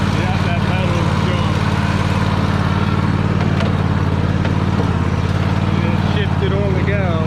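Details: Free Troy-Bilt riding mower, started with help while the carb shut-off solenoid clicks, needing a solenoid: even, low twin-cylinder throb at steady speed without knocks or misfires, healthy. It moves in reverse, though the belt smells burning and is possibly the wrong belt.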